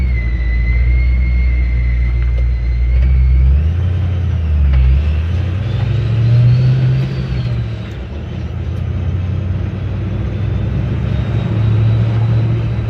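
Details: 1956 Ford F-100 with a Powerdyne belt-driven centrifugal supercharger, cruising through town after its failed internal cog drive belt was replaced; clear whistle rising and falling with engine speed over low exhaust rumble; normal supercharger whine.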